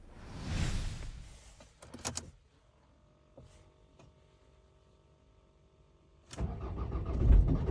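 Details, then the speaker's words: Ford Focus Mk2 Estate 2.0 TDCi diesel, manual, 270,000 km, 8°C outside; when warm it starts then dies, often until the third try. A short crank, it fires and runs a moment, then dies before cranking again. The owner fears injectors or the high-pressure pump, unconfirmed. "Okay, so the car starts fine now, but when it heats up, you give it a crank, and then dies. So the car starts up and then dies."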